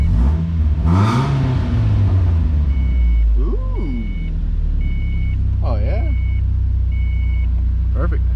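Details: Miata on first start after fitting the exhaust; engine catches with one quick rev, then settles into a steady, even low rumble with door chimes overhead; healthy idle.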